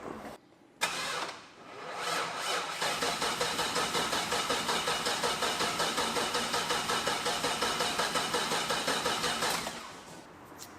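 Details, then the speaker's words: 1985 Chevrolet crew cab dually sat 2 years out of fuel, temporary inline fuel pump wired in; starter grinds slowly and labouring for about eight seconds without firing; weak battery, booster packs used next. "Sounds like we could use a little bit more battery charge. Don't worry, we got booster packs."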